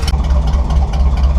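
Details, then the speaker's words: Chevy C10 truck V8, after tuning motor and carb: deep steady lopey burble with even rhythm, no knocks or misses; healthy idle that sounds pretty good. "But yeah, sounds pretty good."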